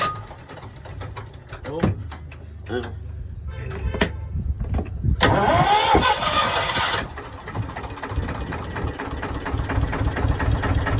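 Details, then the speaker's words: Wide-beam canal boat diesel engine: cranks, catches and settles into even steady idle with no knocks or misses; purring, healthy. "Purring, it sounds lovely. Like what? Runs on no diesel whatsoever."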